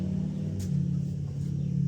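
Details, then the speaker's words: 2002 Honda Rubicon ATV shift motor (Mitsuba, made in Japan), removed and bench-run directly off a battery while chasing code 11, a drive motor circuit fault: steady even hum, not screaming, spins freely. The motor is judged fine. "I mean it sounds good it's not screaming it turns free"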